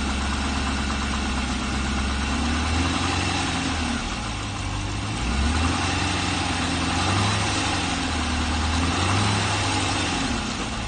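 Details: Chevrolet LS3 V8 at about 40,000 (unit unstated), cold: engine catches and settles into an idle with a dull, irregular knocking under the rumble; suspected piston slap.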